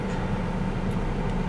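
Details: 1998 Chevrolet S10, Vortec 4.3 V6, idling after intake gasket replacement and coolant refill: low, even idle with no knocks, ticks or hunting; no fuel or coolant leaks, owner suspects the old thermostat was the issue.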